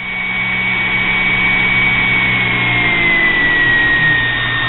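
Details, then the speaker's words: Homemade mini grinder driven by a sewing machine motor: a steady high whine easing slightly lower in pitch with a faint low hum, spinning evenly with only mild vibration; it runs better than the earlier build. "it's actually better than my other one you're going to have some vibration it's never going to be perfect"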